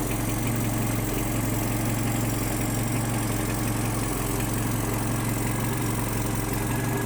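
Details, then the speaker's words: Datsun 120Y engine after filter and oil change, timing and idle adjustment: steady, even idle with smooth low thrum, no misses, knocks or hunting; normal idle. "um it seems to be running pretty nicely now so uh yeah I'm pretty happy with the result"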